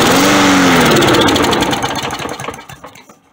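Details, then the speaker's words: Lawn mower found by a neighbor, fuel flow confirmed with no blockage, primed and on low choke: it catches and runs briefly, then the beat slows, goes ragged and dies within three seconds. Starts then stalls; dirty carburetor suspected, needs a thorough cleaning. "still die so now i have to take the carb off and do a thorough cleaning of the car"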